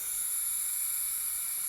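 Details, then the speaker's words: System X NME paintball marker, 16 years old with old parts-kit seals, first time gassed up: steady high hiss, leaking at the bolt and breech; suspected ram o-rings, possibly poppet o-rings, not confirmed. "Also es zischt aus den Bolzen, es zischt aus dem Breech."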